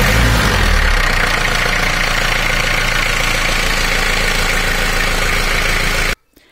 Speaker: a healthy starter motor produces consistent smooth wearing sound when engaged this indicates that the motor is functioning properly